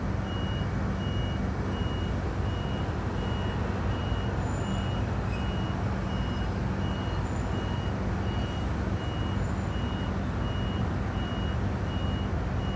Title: 15 Apr 2025, LOUD?Video0008AM Crane driver just came back and crane doing nothing. Beeping non stop.